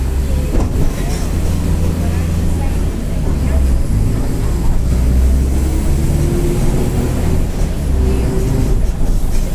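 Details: 2007 Mercedes-Benz OF-1722M bus with Marcopolo Torino body, Grande Londrina fleet 1110, line 505, Feb 2023; faint tone climbing in pitch with speed under heavy road rumble, whining differential.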